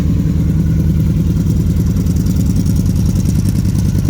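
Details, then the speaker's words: Dodge street van with new custom side-pipe exhaust, V8 warming up (choke may not be working, runs rich): deep even idle burble with steady low pulse, no misses or rattles; sounds pretty good, not obnoxious, normal idle. "that sounds pretty good it's not obnoxious"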